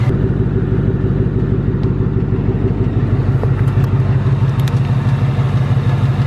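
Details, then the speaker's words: 2018–2019 Ford Mustang GT Coyote V8 at steady idle: fast, even metallic tick of about three a second with a faint rattle underneath; the tick returned louder recently, and the owner says it is not the direct injection. Source unknown. "I mean the tick you know came back like in the last two weeks it's louder than ever and I'm not exactly sure what this tick is"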